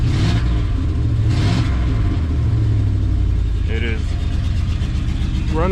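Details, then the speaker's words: Ford truck running on 7 cylinders and smoking a little: idle has an uneven, loping beat with a stumble in the firing rhythm, one cylinder dead, misfiring and visibly running rough. "on 7 cylinders, so it smokes a little bit. This one does run rough, that you can visibly see."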